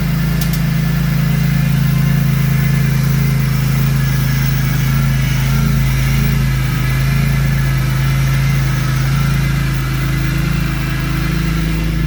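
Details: BMW E46 M3 S54 engine at 139k miles, just after water pump replacement and coolant refill, heater on: smooth, even idle with steady low drone and no knocks or misses; coolant temperature sensor had been disconnected.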